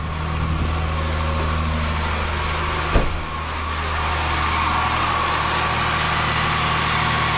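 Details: Jaguar supercharged engine idling cold just after an aftermarket crank pulley install, with an open air intake: fires with one short bump, then a steady, even idle with no ticks or knocks, no engine light. Normal idle.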